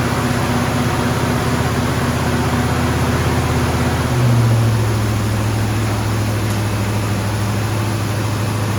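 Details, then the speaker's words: 1974 AMC Javelin, first start after valve cover gasket replacement: high steady idle drone lifting briefly and never dropping back; choke stuck on because the heat riser brass fitting is disconnected. "all right we noticed um when we got the car started that um the choke was staying on so this little heat riser thingy majiggy here was not hooked up"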